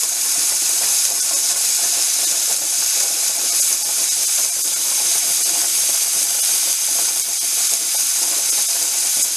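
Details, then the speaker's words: Mirro pressure canner canning corn: continuous loud steam hiss with busy rattle, weight jiggling nonstop instead of the recommended 3–7 times a minute; heat too high, being turned down. "it turned down the heat because it seems to be jiggling constantly and i've got my clock here i'm just going to count the jiggles"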